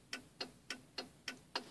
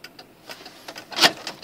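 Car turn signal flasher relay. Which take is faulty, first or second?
second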